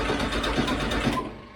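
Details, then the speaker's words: Air-cooled VW Beetle show car on a lift, new fuel tank, electric fuel pump switched on, throttle worked from the rear: the starter spins evenly for about a second without firing. It cranks but won't start because no fuel reaches the unprimed carburetor. "keep drinking hold up i'm not getting any fuel we're not getting any fuel"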